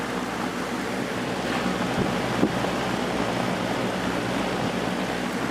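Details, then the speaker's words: Early-1980s Sears box fan with plastic Marco motor, formerly seized, now cleaned and oiled, on high drawing 2 A (rated 2.2 A): steady, even air whoosh over a faint low hum, no rattles, ticks or squeals. Normal running. "wow this thing doesn't make any that motor doesn't make any noise at all usually these have a cool sound that they make pulling 2 amps sounds about right these are rated at 2.2 amps"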